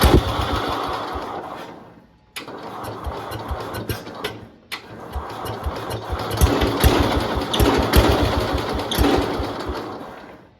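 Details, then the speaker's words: 1971 International Harvester Cub Cadet 126 mower, revived after decades, fuel lines reworked: uneven chugging beat that stumbles and nearly dies twice before picking up. It runs rough and needs tuning; cause unconfirmed. "Might need to do a little bit of tuning on the"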